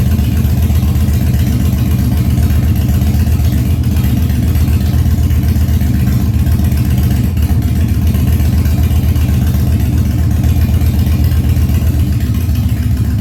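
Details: 1997 Harley-Davidson Fat Boy after carb cleaning, loose carb cables fixed, new plugs and battery; cold start on choke at 70°F humid, no air cleaner fitted: loud deep lumpy V-twin idle, uneven potato beat, steady without stumbling; idling well.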